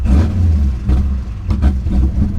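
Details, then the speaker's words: 2006 Pontiac GTO 6.0L V8, 6-speed manual, low miles: deep rumble that surges and dips unevenly every second or so; intake air temperature sensor found missing and unplugged, intake damage suspected. "it's a little rough let's shut it off let's shut it off it is it is a little rough"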